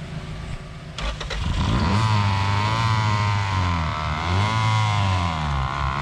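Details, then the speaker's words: Honda CRX, B18 engine, sat about two years, first start on starting fluid: catches after a short crank and holds a steady low drone with pitch swings; alternator completely seized, pulley not turning, belts burned off. "all right so we got it started and I just found out that the alternator is completely seized up the pulley isn't going it did burn up the belts right off"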